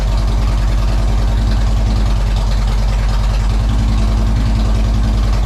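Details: 2007 Harley-Davidson Road King Custom, stored all winter on a battery tender, started in neutral after the alarm key fob battery was replaced: deep, loping V-twin idle at about three and a half pulses a second, steady and strong; starts and idles fine.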